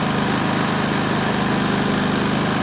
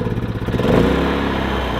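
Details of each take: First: Predator 3500 inverter generator, 18 hours, after cleaning and refitting the clogged spark arrestor that caused stumbling: small petrol engine runs even and steady, smooth exhaust, no misses or surging. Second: Predator 3500 inverter generator at 18 hours, before cleaning: engine speed surges and dips unevenly then steadies; owner suspects a clogged spark arrestor; engine stumble from clogged spark arrestor.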